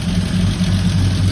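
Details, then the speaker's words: 1976 AMC Gremlin that sat about 32 years, first start with nothing touched, starter held a little long; steady, deep, even idle with no misses or knocks, not smoking badly. Normal idle. "we left the starter on a little long, but look, it's in here idling. We haven't even touched anything."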